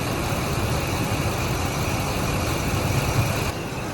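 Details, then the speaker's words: Ford F150 5.4/4.6 2-valve V8 at idle with code P0307: lumpy, uneven beat with periodic stumble; cylinder seven misfiring, confirmed with ignition tester, fixed by replacing the ignition coil. "so if i put this on number seven you see that it comes in and out that right there is telling me that it's got a misfire"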